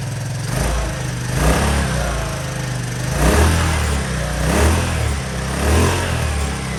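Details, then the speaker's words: Honda Helix scooter's single cylinder fired for the first time after fresh gas, a new fuel line and a pre-filled carb bowl. It putters unevenly, revs sagging and surging, a rough idle nearly stalling before it keeps running. "fire it up. Oh, it's gonna die. It's gonna die. It's running. Nice."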